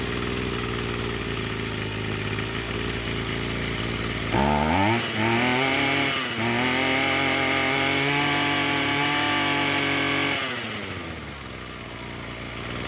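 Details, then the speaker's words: Echo SRM-210 two-stroke string trimmer after new purge bulb and the straightened idle screw set higher; steady idle, clean high rev, smooth return to idle; normal running. "I would say that's running pretty good. So ultimately all this trimmer needed was a replacement purge bulb here on the carburetor, which is a few bucks."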